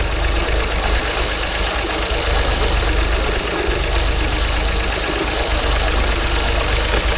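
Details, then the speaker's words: 2016 Land Rover Range Rover Sport V6 with crank-no-start complaint, running only on bank 1 with bank 2 lacking compression; rough near-stalling idle with loose mechanical knocking, mechanical damage suspected. "It's only running on half of an engine. It still revs though, which is weird. I already know it's got a mechanical problem because of the way it sounds, and the whole bank is down. I don't know if you can hear that knocking."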